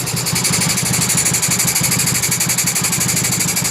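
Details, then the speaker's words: Honda Beat carburetor scooter with high fuel use and abnormal idle; steady airy hiss like an air leak at the carburetor over a fast, even idle; faulty automatic choke. "Suara dari karbunya ada suara yang kurang normal ya. Nah, ada gejala suara yang nggak normal dari bagian karbunya. Dan untuk suaranya hos-hosan ya. Seperti hanya udara bocor ya, teman-teman."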